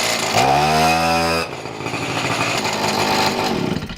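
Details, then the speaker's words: Two-stroke pocket bike after carb idle and air-mixture screw tuning: high buzzy note climbs and settles into steady even running, revs rising and falling cleanly; owner notes it runs inconsistently at times. "Well, I think that's honestly as best as I'm going to be able to tune it for right now."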